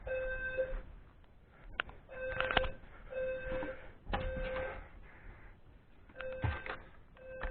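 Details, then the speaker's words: Notifier NFM 320C home fire alarm panel tripped without apparent reason: repeating electronic tone bursts roughly every second and a half; owner wonders if it is faulty, cause unknown. "Yeah, I was just minding my own business upstairs when all of a sudden the fire alarm system went off. I don't even know why."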